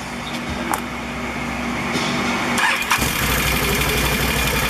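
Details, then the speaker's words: Can-Am ATV CVT clutch just after slider shoe replacement (one-way clutch rebuilt, new belt, cleaned): starter crank, then a smooth idle with no clatter; the old clutch rattle is gone. "oh my god there's no noise that is amazing fifty dollars shuts all that rattle off"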